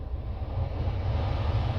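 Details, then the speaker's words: 2014 Volvo S60 T5 (P3), engine running, after replacing the blower motor resistor: even, steady rush of air over low engine hum, no ticking or scraping; climate blower fan spinning normally. "Starting the car just to make sure everything, yeah, I can already hear that fan is spinning, and as you can see, I adjusted it, and so it looks like everything works."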